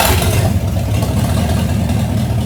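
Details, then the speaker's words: 1968 Pontiac Firebird V8, over 200,000 miles, parked in a flooded field since 1984, first start after revival: deep, even rumble picking up smoothly on throttle, no knocks, misses or ticks; engine healthy for first 30 seconds. "That's an engine, dude. >> Okay, that engine's good right now for the 30 seconds we've ran it."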